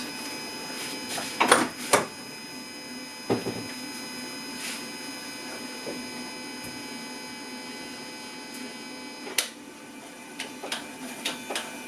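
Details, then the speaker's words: Jaguar AJ30 (Duratec) V6 swap, Bosch 73 mm electronic throttle body replacing original Jaguar unit, engine off, pedal pressed: short scraping whirs each pedal movement over quiet background; throttle motor actuating normally. "But the uh it should make a noise at least kind of scraping noise. The throttle p throttle body is this thing which is a Bosch part 73 mm I believe"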